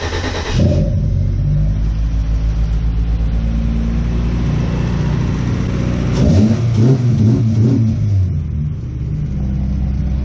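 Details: Honda B20 VTEC engine in a 99 Civic, after replacing the aftermarket fuel pump and restoring fuel pressure: cranks, fires and settles into a steady idle, then revs up cleanly and drops back smoothly; running properly.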